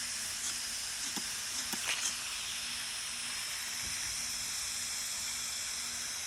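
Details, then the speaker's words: Roxor intake boot on the factory pipe from the turbo, pressure-tested with shop air at about 2–3 psi (later 10 psi), engine not running; steady thin air hiss as air escapes the loose factory boot connection, shown with soapy water: boost leak at intake boot. "I'm gonna put start putting some air to it I don't know if you hear that with about two maybe three pounds of air we'll get a visual spraying some water"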